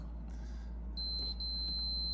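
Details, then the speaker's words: 1964-66 Ford Thunderbird upper back panel limit switch tested with an ohmmeter: quiet room, then a clean steady high beep; continuity at zero resistance, switch contacts closed. "Now you know they're closed because it's making a noise. When the circuit is complete, that means closed. That means this will beep, the ohm meter will beep."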